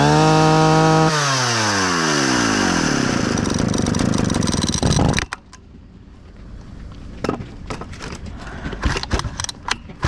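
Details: Husqvarna 65 chainsaw, about 60 years old, after partial repair (carburetor, fuel line, pull starter): strong steady buzz that falls away cleanly at shutoff with no hunting or sputter. Starts easily and runs well, though a brittle aged part makes it unfit for use.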